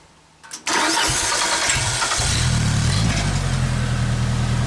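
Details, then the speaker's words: 1995 Genie Z-45 boom lift engine after throttle rod repositioned and a makeshift throttle stop screw added: it fires quickly, runs up briefly, then settles to a smooth, steady low idle without dying instead of stalling at closed throttle. "Alright, so after repositioning the rod, I found a screw in my pile to make a throttle stop screw so this thing won't die with a fully closed throttle. It'll just be a low idle. So now the thing actually starts and runs and idles down like it's supposed to."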